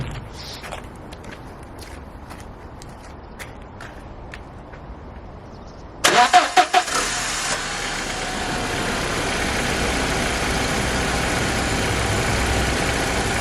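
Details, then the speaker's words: 1999 barn-find car with 70,000 miles, after the owner fixed the part that stopped it starting: clicks, cranks, catches with quick bursts and settles to a steady, even idle. "I think I've officially just fixed my first car oh my God a 25y old car I restored and I broke it and then I fixed it"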